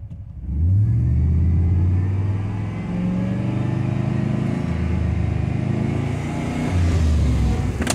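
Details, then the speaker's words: 2002 Chevrolet Silverado 2500HD 4x4 6.0L gasoline V8 with codes P0300 (random misfire) and P0332 (knock sensor circuit low, bank 2); smoke thought to smell of unburned gasoline. Deep rumble with an uneven, stumbling, chugging beat and wandering revs; engine misfire. "there it is now we're starting to misfire i can really hear it chugging"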